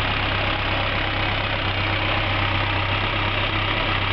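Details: Skoda 120L engine, first start after rebuild: even, steady idle with a regular beat and no knocks or misses; normal idle.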